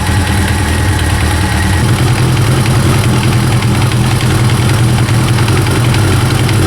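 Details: First-generation Kawasaki ZX-9R four-cylinder idling smoothly and evenly after the cam chain tensioner was reset to cure a knocking noise; steady low hum, no chain rattle.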